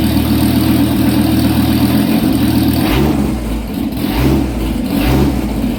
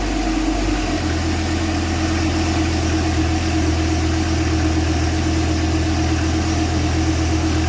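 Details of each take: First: Dodge Viper with exhaust cut off both sides after the catalytic converters, short pipes: loud raw rumbling unmuffled idle with quick throttle blips; exhaust removed after catalytic converters. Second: Dodge Viper V10 on stock exhaust, side sills removed: a deep steady idle, then sharp throttle blips rising and falling cleanly; running normally, though the owner dislikes the sound, likening it to a vacuum with an exhaust leak.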